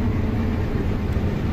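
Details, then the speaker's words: Combine, separator started with doors open after a bad sensor was found and fixed: deep, even rumble holding steady with no knocks, squeals or grinding, dust out the back; normal running after repair. "got dust out the back i don't hear any strange noises wait we got her fixed all right i just got to put these shields back on okay the combine is good to go"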